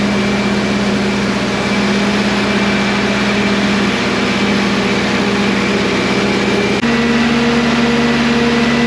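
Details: Premier 118 NE car started after sitting unused for a long time: engine runs steadily, then revs to a higher even pitch and holds without stumbling; normal running after storage.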